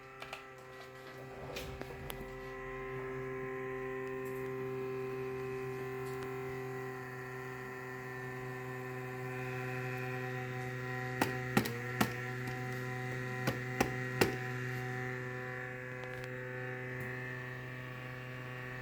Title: Legion 5 Pro RTX 3070 fan buzzing noise